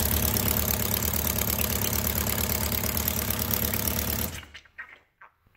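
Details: 1999 Kawasaki Concours ZG1000, 54k miles, whose valves had no clearance (intakes set to .007). Steady idle with a light top-end clack about three times a second, louder with the valve cover on. A dealer had called it rod knock; the cause was a worn cylinder 3 intake cam follower with a quarter-inch groove.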